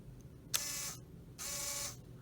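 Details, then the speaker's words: Clarion CD unit from a 2004 Saab 9-3 on the bench, laser sled motor powered directly with polarity reversed to move the laser in and out: two short high whirring runs with a clean start and stop, no grinding or stalling. Normal laser sled motor operation. "so that's how the laser moves now and once this motor comes all the way to the end then the mechanism changes and starts rotating those gears to kick the CD out"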